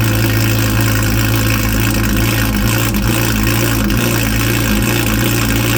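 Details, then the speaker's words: 2011 Lotus Evora S with a newly installed used Capristo valved exhaust and CES3 controller, valve opened with mode 4 on the remote: steady, deep, even idle with a loud throaty note and no misses or knocks; normal idle. "Okay, and just like that, the exhaust is working. She's really rowdy. I don't know if you heard, but right at the beginning, it was fully closed. I hit the 4 on the remote, it went open, and so it got a lot louder."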